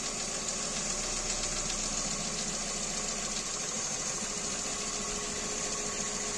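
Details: Kia Rio 2 with G4EE engine at idle: steady idle with a fast, loosely regular ticking knock of about three to four per second riding over the engine; source of the knock undetermined.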